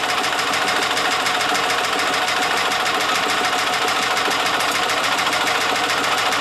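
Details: Yamaha G2 golf cart after carburetor, air filter and spark plug tune-up; long fast even starter crank, about three strokes a second, not catching while piston-driven fuel pump primes fuel.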